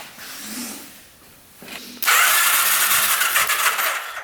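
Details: 1991 Kawasaki Vulcan 1200 V-twin, long-neglected, which the seller said would never run: quiet at first, then a loud, fast, even churn as the starter spins it strongly on a faster jumper pack. Healthy cranking, now producing good spark on all cylinders.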